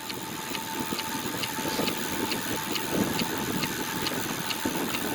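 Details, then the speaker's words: Ten-year-old Zipp 404 carbon tubular wheels with newly glued tires, bicycle coasting: a sharp, light tick about twice a second over road and wind noise; it is absent when each wheel is spun lifted; debris sits in the rear rim. "It's definitely associated with the wheels and not the crank. It's still there when I coast."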